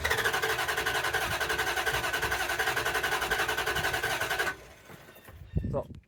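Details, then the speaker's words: 2005 Dodge Ram 4.7 V8 with constant cylinder 3 misfire despite replaced coil, injector and spark plug, heard during a clear-flood crank test: fast uneven cranking beat with a weak stroke in the rhythm. "sounded like a little bit of a misfire to me it feels like a miss a constant miss"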